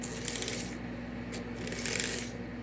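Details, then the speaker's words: Marx 999 toy locomotive from a train set under restoration, test run on track: steady low whir with light metallic track rattle, smooth and even, drawing less than six volts; low power draw, normal running. "that's pretty good. That's That's less than six volts right there. So, that's pretty good. That's a low power draw."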